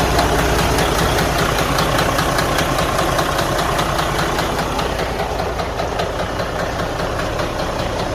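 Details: Detroit DD13 diesel idling with a very low, steady knock about two and a half a second from inside the engine; internal damage suspected, and the engine must be opened to investigate.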